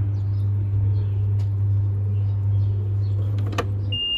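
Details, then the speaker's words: Old LG washer, slightly tilted, in spin mode: low, steady motor hum with no rising spin speed, weak and slow spin; two causes found, a failed motor capacitor and a loose drive belt, tightened via two screws under the motor. "有两个问题，第一个就是电容损坏了，第二个就是皮带松了，搞定。"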